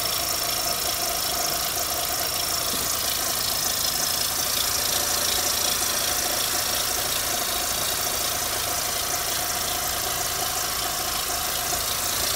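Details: 2004 Mitsubishi Lancer Ralliart with an aftermarket short intake and new coils, plugs, belt, tensioner, idler pulley, harmonic balancer and thermostat: fast, fairly even light knock about three a second at idle under a hissy top end. Cause unknown.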